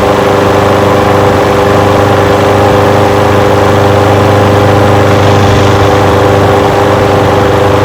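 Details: Old curbside Craftsman push mower with a Briggs engine, first run after revival: loud, steady putter at constant speed, no surging or dying out. It smokes a little. Windy outdoors. Normal idle.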